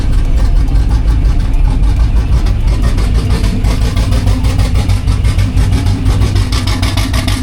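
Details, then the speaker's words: Junkyard 5.3L LS V8 with turbo cam and Gen 4 rotating assembly in a 4th Gen Firebird drag project, first fire-up after rebuild: loud, lumpy, stumbling idle, running on only 4 cylinders; later traced to 4 bad, stuck fuel injectors. "Stuff the engine back in, and then when we went to fire it up, it was only running on 4 cylinders."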